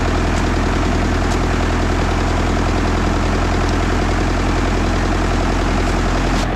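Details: International 125E power-shift track loader diesel, sat about 10 years, running again after banging and prying; steady even chug with deep constant pulse, no misses or knocks; normal idle.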